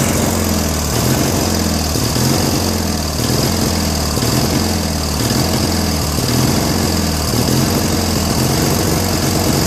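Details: Trash-find Briggs & Stratton 16HP opposed twin on a Murray tractor, just started on full choke after a jetless carb was fixed: idle swells and drops about once a second. It ran better when the carb screw was held, so the owner says that idle screw needs adjusting.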